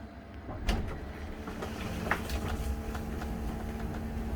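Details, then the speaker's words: 2004 Country Coach motorhome HWH slide after track roller adjustment, room going out: steady pump hum with light clunks, no grinding, much better than before; slide running smoothly, though further adjustments are still needed. "oh yeah that sounded good so much better than what it was doing before"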